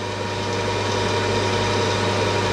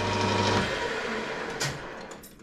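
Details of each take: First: Home workshop lathe making a cut after chatter was solved: steady, even machine hum with a low drone and faint steady tones, no chatter or squeal. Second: Home-workshop lathe deliberately set up for worst-case tool chatter: harsh, steady buzzing scream during the cut that breaks off as the machine winds down.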